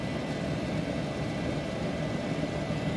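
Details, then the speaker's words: Solder fume extractor fan at full speed: steady roar whose tone changes considerably, strained, once the lid restricts the outlet; airflow drops from about ten to about one meter per second. "however once we put the lid on it you can hear the tone of the fan changed considerably"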